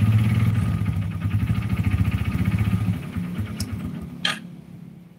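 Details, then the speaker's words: Yamaha Jupiter Z motorcycle engine runs, then winds down with a dull, uneven knock at about four beats a second under the exhaust; some suspected the clutch, but it is connecting rod knock. "ada satu unit jupiter-z yang bunyinya itu kalian udah denger tadi di awal dan itu gejala suara dari stang seher nya jadi ada beberapa yang berpikir mungkin itu suara kopling"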